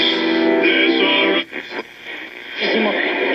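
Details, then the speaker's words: 1950s RCA 6-BX-63 portable tube radio, arrived dead, after cleaning the sockets: a station plays loud and clear with steady music, no hum, crackle or fading; normal reception. "It actually runs. Let's just plug it back in now that I've cleaned everything up. Alright, let's listen to it again. Comes right up now."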